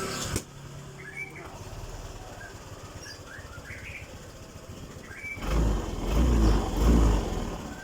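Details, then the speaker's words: Honda PCX with a dead charging circuit, relay/fuse wrongly placed: weak idle swelling and sagging about once a second, engine hunting while running on battery alone as voltage drops. "Nah, ini mulai berebut karena pengisiannya tidak ada. Jadi motornya hidup hanya tergantungan dari aki. Kalau akinya ngedrop, ya motornya nggak akan bisa menyala dengan normal karena motornya berebut."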